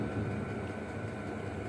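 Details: 5 kW diesel heater on a mobile workshop cart, fully lit and running in a cold workshop: steady low, even, unbroken roar of blower and burner at full output; heater running normally.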